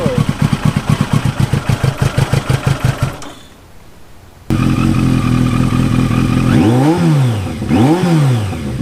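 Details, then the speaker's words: 1983 Yamaha XJ650 Turbo motorcycle just reassembled after mechanical and cosmetic repairs and paint, started easily on a cold, wet day; steady pulsing idle and clean throttle blips rising and falling smoothly without stumbling; white vapor is condensation, not smoke; running normally, possibly best ever. "Well, guys, it seems like it's running really good, actually. Maybe the best it's ever ran. I don't know. It's idling super good. It's revving up good."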